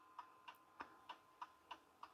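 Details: 1930s Garrard English mantel clock after check, adjustment and re-oil, movement refitted: crisp evenly spaced ticks about three per second, running healthy and in beat.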